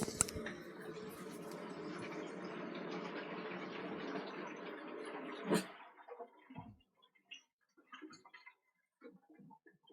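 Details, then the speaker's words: Pressurised hot water cylinder being filled: several seconds of gurgling, bubbling water rush inside the cylinder, then quiet; suggests a leaking coil, suspected not confirmed. "if you tried filling it up you hear it bubbling inside the actual cylinder so if you listen to this"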